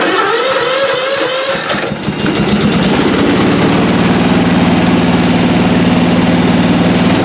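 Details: Lawn mower single-cylinder engine started on its recovered 12 V lead-acid battery after choking: settles into a steady, even beat around four per second, no misses or knocks; charging system reads about 13.5 V.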